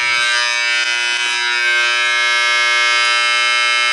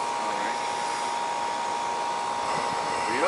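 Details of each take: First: Air conditioner condenser, 2.5-ton, no-cooling call with tripped breaker and burnt compressor wire: loud harsh steady electrical buzz about seven seconds then abrupt cutoff; bad contactor humming, replaced along with rewiring terminal. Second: 2.5-ton AC condenser after repair (noisy humming contactor, burnt compressor wire that tripped breaker, cleaning), superheat about 9: steady even fan rush with constant mid-pitched hum, no rattles or buzzing; runs smooth and healthy.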